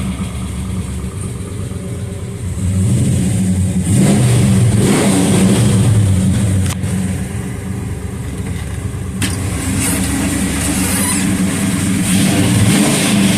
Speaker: sun she sounds good and I think she's ready to go